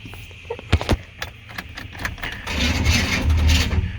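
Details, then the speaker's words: 1995 Chevy C1500 Silverado with swapped 350 TBI, high mileage: a few sharp clunks then sluggish uneven cranking about three turns a second without starting, battery going dead; worn flywheel or starter teeth also suspected. "battery's going dead so let me pull my truck around here and jump it"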